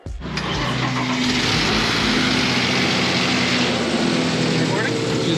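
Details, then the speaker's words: 2006 Nissan Frontier 4.0 Nismo after TCM replacement, first start: engine catches into a loud, busy idle with a faint high whir on top; owner suspects a belt. "hell yeah bro it's a little loud a little loud that's a belt right"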